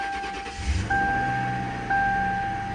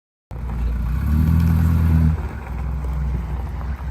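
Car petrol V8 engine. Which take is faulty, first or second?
second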